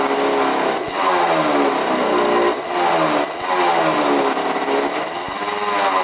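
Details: 1985 Yamaha YZ80 two-stroke, first start after rebuild on 41 premix, in the shop: crisp buzz rises and falls smoothly with throttle blips, no knocks or rattles. Runs really good; the water pump looks to be working.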